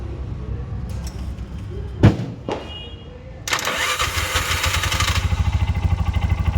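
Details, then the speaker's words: Bajaj BS6 motorcycle with RPM light and starting trouble: the starter turns over sluggishly in a few weak bursts before the engine catches and idles; a loose engine ground connection is starving the starter, causing slow cranking. "ಇಲ್ಲಿ loose ಆಗ್ಬಿಟ್ಟು ಏನಾಗ್ತಾ ಇದೆ ಅಂದ್ರೆ ಗಾಡಿಗೆ ಎರಂಗ್ ಸಿಗ್ತಾ ಇಲ್ಲ ಅದಗೆ slow ಆಗಿ start ಆಗುತ್ತೆ"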